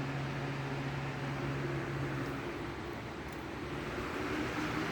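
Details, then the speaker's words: Lasko 3733 box fan with larger capacitor and second back grille, running on low speed: steady even hum and airy rush, loud but conversation-level, no ticking or rubbing; normal operation. "it's loud it's a bit noisy i it's good enough where you can still have a conversation around"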